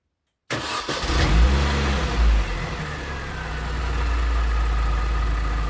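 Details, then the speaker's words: 2003 Mini Cooper S R53 cold start after rod bearing replacement: catches right away, brief rev flare, then a steady idle without the earlier few-second start-up flutter from worn rod bearings. Normal cold start, much better. "that is much better uh I didn't realize the sound was the rods the rod Varan that I was hearing so I didn't record it"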